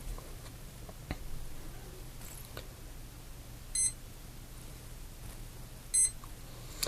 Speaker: those beeps are indicating that there is no signal to the esc